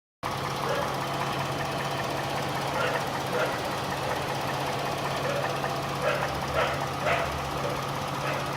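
Steady idle with a faint, regular light knock riding over the engine hum; knocking present, cause not clear from the sound alone.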